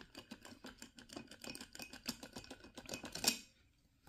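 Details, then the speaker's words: Griffin bass drum pedal (budget $40 model): quick run of light clicks and rattles, several per second, as the pedal is rocked sideways, then quiet; side-to-side play at the hinge, unlike a DW pedal with no play, would carry into drum mics. "with an example these don't move at all and you can hear the noise that creates so imagine you're playing and you're hearing all that noise"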